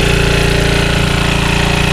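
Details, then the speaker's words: Early-1980s Generac S1500 portable generator on a cold, windy day, just started on starting fluid after a hard cold start; small single-cylinder engine holds a steady, even chug with no misses, running normally. "she's running well thank you guys we did it kept spraying it with the starting flu and we got it going now she's running"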